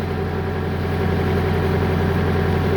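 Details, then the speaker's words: Bobcat skid steer loader diesel after the repair: steady, even low idle with no misses, knocks or hunting, and no error codes. It had been shutting off 1–2 minutes after starting. Normal idle. "no error code is coming so it's mean my fault has gone so now machine is okay I start it"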